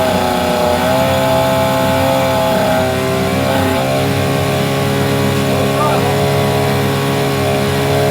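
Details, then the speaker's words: 9.9 hp Mercury outboard that wouldn't start, after replacing the old fuel line: steady, even drone with a clean unchanging pitch and no misses or stumbles; running good, the fuel line thought to be the problem. "is she's running good i you know i think it was just the fuel line uh that was the problem"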